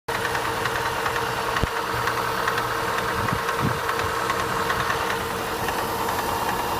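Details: Opel Astra H idling cold: faint, uneven knocking over the engine hum; a knock is present but its cause is not identified.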